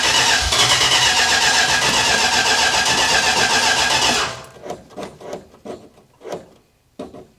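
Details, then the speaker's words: 1967 Dodge Charger 383 V8, first start in 15 years after a new fuel filter: starter cranks steadily at about four turns per second for four seconds without catching; normal extended cranking while fuel primes. "All right, we're going to fire it up. It's going to take a little bit of cranking to get the fuel in through the fuel filter, etc."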